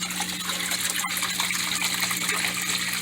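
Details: Kenmore Series 500 top-load washer after DIY drive hub replacement, old hub worn: steady rushing water with a low constant hum, no knocks or grinding; normal fill, working load.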